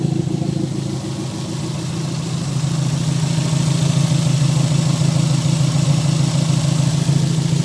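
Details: Toyota MR2 at idle: lumpy idle with an uneven beat around three per second and pops out the exhaust; a misfire.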